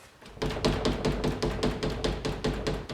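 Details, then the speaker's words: MK3 Toyota Supra door window glass rattle with the window partly closed; quick sharp clanks and rattles, like the glass hitting metal inside the door, as the loose glass is shaken. "he window is about half way up you get this horrible rattle you get clanking it sounds like the glass is up against metal inside the door"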